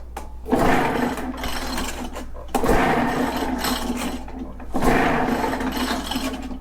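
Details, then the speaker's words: Echo PB-500H blower, not idling, compression test with oil in cylinder, choke off, full throttle: three rough pull bursts with raspy scraping; wet reading 120, dry maybe 80, weird noise cause unknown. "120 i should be fine so we might have a carb cleaning and uh unknown weird noise but like i said that is a wet reading the dry reading very well could be like 80."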